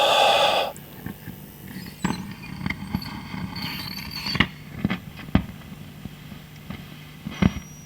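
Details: Fender Hot Rod DeVille guitar amp with intermittent loud crackling: random sharp pops over a low steady hum; noise traced to V2 plate (shorting pin one of V2 quiets it) and reacts to breathing over the area; exact component not yet found.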